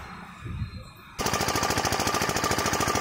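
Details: Top Line 5 HP single-cylinder diesel water-pump engine that would not start despite new nozzle, plunger and delivery valve; after pump servicing it fires up abruptly and settles into an even, rapid chug with steady beats, no misses, running healthy.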